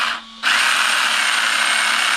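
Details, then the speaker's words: RC car with the battery in, motor run gently rather than full throttle, pinion pushed hard against the spur gear: the motor spins up into a loud, harsh, steady high whine with a gritty edge, meaning the gear mesh is too tight. "It's really noisy. And that tells you your mesh is too tight."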